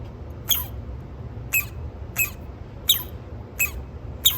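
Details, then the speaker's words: Sony TC-K650ES cassette deck motor running: short high-pitched squeaks about once a second in two tones over a low hum, extremely dry motor bearings, louder at higher speed, before oiling. "two different tones this means that the bearings are extremely dry"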